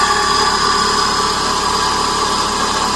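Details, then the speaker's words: 2000 Chevy Metro (Geo Metro) with automatic transmission at idle: steady gritty growl with a high whining edge, hard to trace, no fluid leak seen; owner suspects transmission howl, not confirmed; growling noise at idle. "a growling you can probably hear that seems be coming more from over here oh it's really hard to trace down it's got to be the transmission howling"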